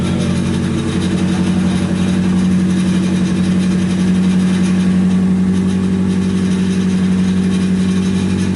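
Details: Nissan 240SX S14 after SR20DET engine swap, first start once a half-plugged fuel pump connector was fixed: smooth steady idle with an even low drone, no knocks or misses; warming up while bleeding air from the cooling system.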